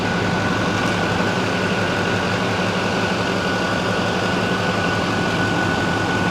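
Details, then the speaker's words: 2006 Chevy Silverado 2500HD LBZ Duramax diesel, after new fan clutch, AC compressor clutch/pulley and fan idler pulley: steady even diesel idle clatter with no belt chirp or squeak. "There's no belt squeak at all. Nothing."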